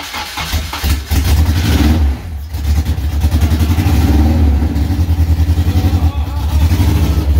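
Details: Honda K24-swapped AE86 Toyota Corolla, first start with no coolant and half its sensors missing, heavy blow-by noted; loud lumpy low throb with uneven stumbling pulses, running rough.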